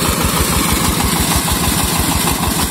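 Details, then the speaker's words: New diesel engine driving a new 6-inch pump irrigating about 4000 m² of paddy: steady, even, relaxed thump with no knocks or misses, pulling the pump smoothly; normal running under load. "ini kalau didengar mesinnya ini bunyinya ini sampai tapi semburan air yang dihasilkan itu seperti ini"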